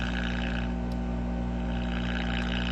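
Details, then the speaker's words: Early-1960s Allied Knight Kit All-American 5 AM tube radio, water-damaged, first power-up with 35W4 rectifier and 12BE6 converter: loud steady low drone with buzzy overtones and no signal, filter capacitor hum. "We got some filter hum."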